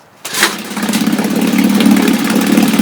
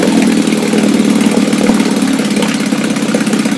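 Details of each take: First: Restored 1962 Johnson Seahorse 3 HP outboard, first start attempt, started without choke on a warm day: catches right away and settles into a steady, even buzz with no misses or knocks; a clean, healthy start. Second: Restored 1962 Johnson Seahorse 3 HP two-stroke outboard, low-speed needle just richened: slow, slightly uneven putter that fades toward the end; idle set a little too low, losing some low end, but close.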